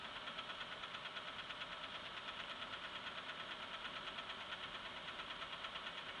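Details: Engine at idle: a steady, evenly spaced knock a little under two per second over a quiet idle. Engine knock, cause not yet determined.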